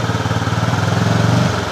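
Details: Honda CB fuel-injected single-cylinder motorcycle, still stuttering after five services; idle stutters and dips as throttle opens.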